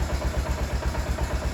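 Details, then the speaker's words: Old 2003 or 2004 motorbike at low idle: light, regular rattle about eight beats a second from the dogs on the clutch basket, just a bit of wear; clutch basket rattle. "It's the dogs on the clutch basket. It's just a bit of wear, you know."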